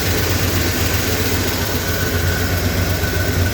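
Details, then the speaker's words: 1977 Ford F250 that sat 15+ years, running a swapped-in Edelbrock carburetor, freshly replaced fuel filter and new plugs, wires, cap and rotor: steady, slightly loping V8 idle rumble with no knocks or misses. "that fuel filter is much better it is running"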